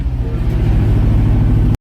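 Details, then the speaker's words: Old Ford F-600 V8 truck after a -22°F cold start: deep, strong revs to near red line and rev dumps, climbing and falling smoothly, firing evenly with no knocks or misses; healthy engine. "You're going to want to go until the valves float in and a little rev dump. Oh, it loves that. You got to get the carbon off the valve once in a while, you know. The thing sounds like an LS swap."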